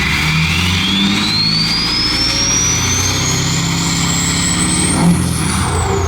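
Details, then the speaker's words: Ford 6.7L Powerstroke diesel with newly installed KC/PSC 64mm Stage 2 turbo and AMDP tune, quick free rev: deep diesel revs with a turbo whistle climbing in pitch with boost then falling off; healthy, clean-spooling turbo. "A little quick rev now. Clean tuning too. AMDP tunes are really clean."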